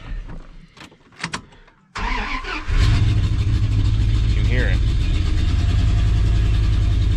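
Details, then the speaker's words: Ford truck running on 7 cylinders and smoking a little: starts and settles into a lumpy idle with an uneven, stumbling beat under the exhaust drone; a cylinder misfiring, visibly running rough. "It is running on 7 cylinders, so it smokes a little bit. This one does run rough, that you can visibly see."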